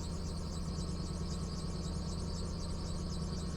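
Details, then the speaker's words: Lexus LS430 with 239,000 miles idling, misfire codes on cylinders 2 and 8 and new coils on hand: uneven, lumpy idle with irregular beats and faint squeak from likely original pulleys; rough idle with misfire. "Man, she is running rough, and the squeaking, yeah, those pulleys, they've been pulling around for 239,000 miles."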